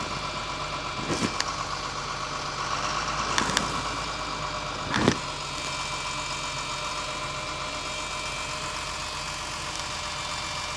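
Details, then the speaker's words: Abandoned Georgie Boy Cruise Master motorhome diesel just revived after nearly a decade sitting, rotten diesel: quiet steady idle broken by random clunks and rattles, cause unknown; oil pressure a little high, oil leak found. "We have bump, lots of noises. That's annoying."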